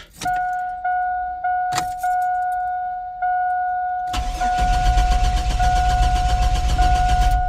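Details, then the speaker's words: Truck cranked right after a new distributor cap was fitted: repeated short bursts of even starter cranking, then a longer crank, never firing; crank no start, owner now suspects the fuel pump. "that did not work so it got to be the Frugal pump damn it yeah just a fuel pump"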